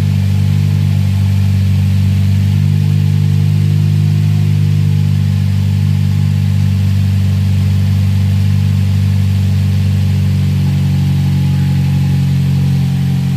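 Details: 2007 Toyota Vios Type G idling after fitting an open air filter and strut bar: even, steady idle with smooth low hum and no rise and fall in speed; engine running cleanly.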